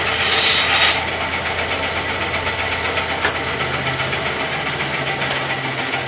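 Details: Bandsaw on a trolley cutting wood after tracking and guide-bearing setup: an even motor hum under a steady rasp of the blade, with no thumps, chatter or slowing. Clean cutting with a consistent cut top and bottom.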